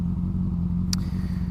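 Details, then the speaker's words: Motorcycle riding with an even, steady engine note and no chain rattle or squeak after drive chain was lubricated; earlier strange noise, likely dry chain after rain without lubrication, has stopped; normal drive chain. "e parou o barulhinho aquele tá ligado é que eu não me liguei que eu peguei chuva últimos dias e eu esqueci de de dar uma dar uma lubrificada na corrente tá ligado"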